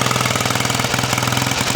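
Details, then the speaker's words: Very clean old single-cylinder bike, unused for years and reportedly from a museum, fired straight up: quick even thumping about sixteen beats a second with only brief stumbles at fast idle; normal running. "it's really clean it fired straight up with minimal [Music]"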